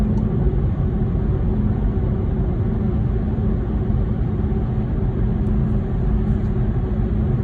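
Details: VW e-Golf electric car while driving: a steady low rumble throughout with a faint whir over it; an unexplained noise.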